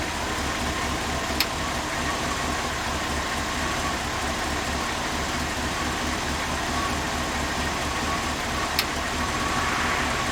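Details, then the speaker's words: Idle of a carbureted Chevrolet V8 motorhome engine, fired up during a cheap transmission fluid flush (about 12 quarts through the circuit); smooth, even, steady idle with a couple of small clicks; normal idle. "we're going to start up the best running carbureted Chevrolet v8 in America"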